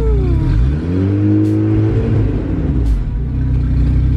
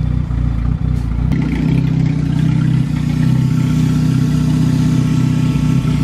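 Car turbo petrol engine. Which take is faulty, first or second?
first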